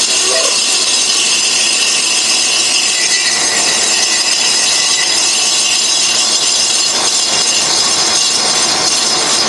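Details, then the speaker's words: Colchester Triumph 2000 lathe skimming a slightly oval Studebaker cast iron front brake drum held in a 4-jaw chuck: a shrill, rattly screech from tool chatter in the corner. The inserts were not suited to cast iron. "oh my God that's horrible well I I guess we've uh maybe taken the glazed surface off we've got some chatter going on here in that corner"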